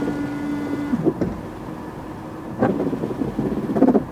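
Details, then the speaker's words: Audi TT windscreen wipers just refitted, tested with the key on: a faint motor hum breaks into uneven thumps and scraping strokes, slow and jerky; the owner suspects dry wiper blades needing replacement. "B jumpy I think the wipers are actually they probably need replacing they're probably really really dry but it works anyway"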